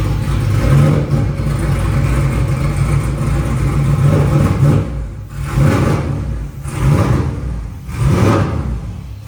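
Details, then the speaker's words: LS V8-swapped Nissan S14 with straight-pipe exhaust on its first drive: a deep rumble that stumbles and sags unevenly, nearly stalling. It runs too rich on the current tune and needs retuning. "it does not run good at all oh did it stall"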